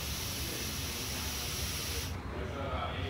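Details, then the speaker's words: EGR valve solenoid on the bench, already failing to click when powered (likely seized): air blown through one port with a rubber hose gives a steady hiss for about two seconds, escaping through the solenoid, so it is not holding vacuum. "you can hear the air escaping from the solenoid and thus it's not holding a vacuum"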